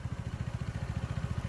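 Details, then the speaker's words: Honda PCX160 scooter at 27,000 on the odometer, idling after the CVT was cleaned and modified and a genuine belt fitted, following earlier rattling like a flapping belt: steady, even low thump with no rattle; the belt drive now sounds healthy. "อ่าปกติเนี่ยคือมันจะกราวเลยกรึกๆๆๆๆๆๆคล้ายๆอาการสายพานสะบัดอ่ะคล้ายๆเสียงสายการอาการเสียงสายพานสบัดแต่อันนี้เงียบเลยนะ"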